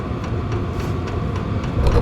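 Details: Compact VEVOR 12V diesel heater with Bluetooth, battery-powered on default settings and putting out about 163 degrees. A steady low blower roar with even fuel-pump ticks about three a second; running cleanly and not that loud.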